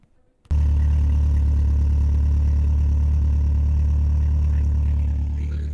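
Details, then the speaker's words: BMW E36 318is M44B19 warm idle after lumpy idle fix (PCV part, maybe cracked): smooth, steady even hum, no lumpy misses; idle slightly high and fluctuating because the idle control valve is stuck. "a voice over so the idol fixed it's not lumpy anymore"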